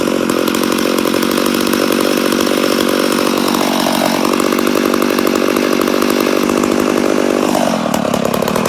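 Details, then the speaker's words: Rebuilt McCulloch Super Pro 80 chainsaw, first start: high, steady screaming rev with a couple of brief sags and recoveries; runs lean, owner suspects an air leak somewhere. "a sounds like we got air leak definitely sounds like she got an air leak but she does sound good yeah I'd say we have an air leak somewhere"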